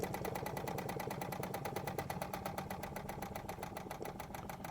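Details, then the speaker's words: Wilesco D20 toy steam engine at very low pressure, under half a bar: even chuffing near four beats a second with no knocks, slowing as the steam regulator valve is turned down; normal running, slowing down. "You can hear it's another Wilesco that runs so smoothly, so quiet. Now the reason I like the regulator valves, so if I turn that regulator valve down, you see it start to slow"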